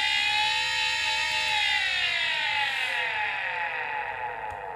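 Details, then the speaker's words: Scrapyard hard drive, never opened, powered on: a high whirring tone winds up then sags and fades with no seek clicks, as if it tries to spin up and initialize but the arms don't move; drive fails to spin up, cause unknown. "it sounds like it tries to spin up and then maybe it tries to read information of the platters to initialize the disc but the arms are not moving"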